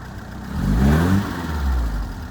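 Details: 1978 Fiat 124 Spider with rough idle under diagnosis: low engine note swells and sags unevenly over a couple of seconds instead of holding steady; cause not yet found.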